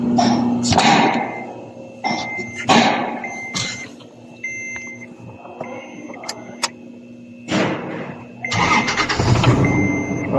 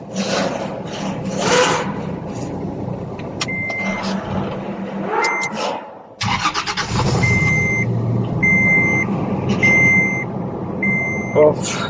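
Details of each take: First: Toyota Land Cruiser LC70 with a cold hard-starting problem, restarted after its dirty MAP sensor was cleaned with contact cleaner (fuel pressure tested good): short crank, cab chimes, then it catches promptly and runs steadily; normal start. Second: Toyota Land Cruiser LC70 cold start: chimes, then long cranking with no clean catch; hard starting, no start when cold, fuel pump pressure tested good, caused by a dirty MAP sensor, which was cleaned.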